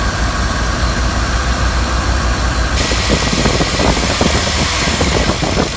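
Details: 1999 Jeep Wrangler TJ at warm idle: a quick, light knock at the front of the engine, quiet at start and growing as it warms. The owner suspects timing chain slap rather than bottom end or rockers; unconfirmed.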